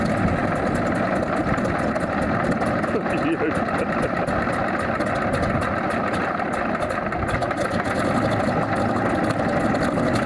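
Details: Alvis Leonides Mk 25 radial engine in a Percival P.56 Provost trainer, started with a fuel prime and a spark clicker firing all plugs: a deep, even drone with a steady firing pulse and no knocks or misses; it runs smoothly.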